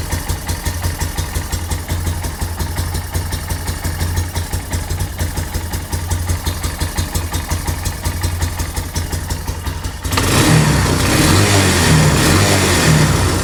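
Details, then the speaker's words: 2008 Yamaha Big Bear 250 ATV, bought as broken, warming up on choke: even thumping idle near three beats a second, then a clean swell to a fuller rev; it won't run without choke, and the owner suspects an air leak. "She sounds smooth, healthy. Does not want to run without the choke."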